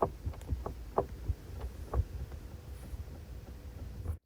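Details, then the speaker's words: Mk4 Golf GTI 1.8T with ignition on, engine off, during a full module scan: light irregular ticking about once a second from the dashboard; cause not yet known. "Look, it sounds like a ticking time bomb."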